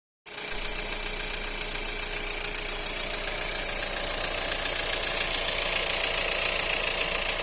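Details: VW 1.4 TSI EA211 petrol engine cold: idle with a light, fairly even knock about three to four times a second over a steady hum; cold-start knock, source not pinned down.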